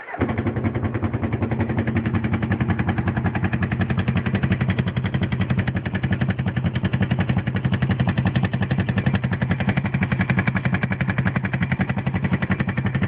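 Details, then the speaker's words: GS500 motorcycle engine at idle: a fast, even ticking rattle rides steadily over the twin's idle, suggesting top-end clatter. The cause is unknown and the owner is asking for help identifying it. "okay I've got some weird engine noise going on with my GS500 you guys can listen to it and help me figure out what it is"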